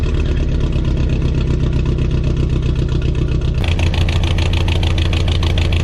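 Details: Car at idle, down a cylinder: a lumpy idle with a loping stumble in the exhaust beat as one cylinder drops out. Traced to a bad fuel injector.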